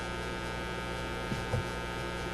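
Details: Motorola MK-56R AA5 tube radio after tube replacement, running around 100 volts: constant low buzzing hum with no station audio; mains hum from a failed filter capacitor, capacitors to be replaced.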